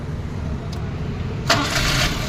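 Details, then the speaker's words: Maruti Eeco start after coil and tappet cover work for missing, backfire and engine noise: starter catches cleanly, even idle with no ticking or popping; earlier chatter at standstill now gone, like new. "बस अब आवाज देखो engine की दोस्तों पहले में और अब में पहले खड़ी गाड़ी में चट चट चट चट कर रही थी ना अब बिल्कुल भी नहीं है"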